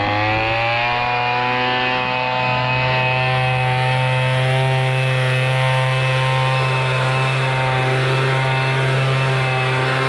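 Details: MTD Bolens BL125 two-stroke leaf blower after carburetor repair, previously bogging and not starting: revs up briefly, then holds smooth steady high buzz without bogging or misfire; running properly.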